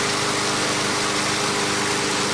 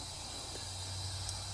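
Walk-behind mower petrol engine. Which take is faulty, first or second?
second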